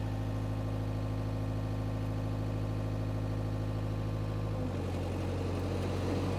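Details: Power Trac 1850 diesel tractor/mower, just revived after all fluids were changed, with the mower hooked up, running under load: a smooth, steady diesel drone with one slight step down in pitch, no knocks or misses. The tractor and mower ran great.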